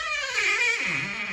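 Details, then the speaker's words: Drawn-out, wavering squeak with pitch sliding down as a door swings, coming from a dry hinge; fixed by pushing out the hinge pin and applying lubricant. "So we've got a pretty squeaky door here."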